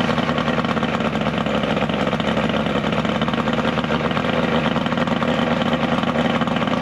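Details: 70HP two-stroke Mercury outboard on a 1967 Duo boat, running on water hose ears with battery, not hot: steady, busy two-stroke burble idling evenly with no stumbling; hard starting but runs very well once running.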